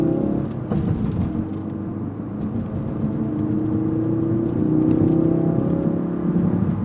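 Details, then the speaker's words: Ford Focus RS (Cobb, Mountune, ETS mods) with clutch still burning after repair: under acceleration a thin whine climbs with engine speed over the drone; source unknown, owner concerned, flywheel possibly not replaced. "So I'm gonna get on it a little bit right now, and hopefully you can hear that whine."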